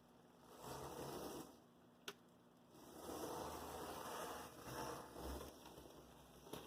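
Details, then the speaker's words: Athearn Blue Box F45 model locomotive after replacing its FF-180 motor with a 280 carbon-brush motor: soft electric whir rising and fading as it rolls, no grinding or binding; runs smooth. "i like it that's the sound i like to hear from an athen blue box"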